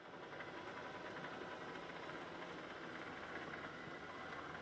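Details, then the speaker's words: Mehano SNCF 70000 OO gauge model locomotive, motor taken apart and cleaned three or four times, worm meshing ruled out: rough, uneven buzz with faint irregular rattling instead of a clean whir; noisy motor. "so you can hear it's not very smooth it's a noisy motor i've had this apart three or four times"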